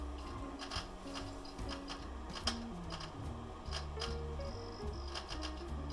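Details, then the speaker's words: Unisys Aquanta CP PC at boot after repeated Windows XP install attempts: erratic chirping, shifting tones and scraping ticks from the hard drive, never settling into a steady spin; failing drive that reads badly and needs replacing. "oh my goodness that is bad so if you hadn't guessed that's the hard drive making that sound and it's actually a it's not working it doesn't read well"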